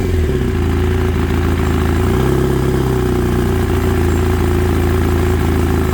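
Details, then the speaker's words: Kawasaki ZX9R, sat 10+ years, first run on 2-stroke fuel poured in, fuel shut off to drain the float bowls: lumpy uneven low drone with clatter at fast idle; vibration felt at the handlebar controls; doesn't sound right, cause not pinned down. "Got a weird vibration in it that I can feel. Feel it really good up here in the handlebar control. It just doesn't sound right."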